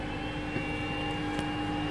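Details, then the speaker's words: Trianco Aztec electric boiler, heating switched on (fault: no hot water, heating works): faint steady electric hum, constant tone, no rattle or grinding; circulating pump running normally. "i'm just going to turn the heating on by pressing that button there and hopefully you'll hear it start up in a second you can hear the pump running"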